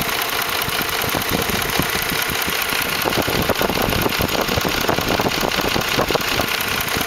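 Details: 2004 Ford F150 5.4L 3V at steady idle: busy, uneven slapping tap as the timing chains slap the engine block from failed chain tensioners; fix was new cam phasers, timing chains and tensioners.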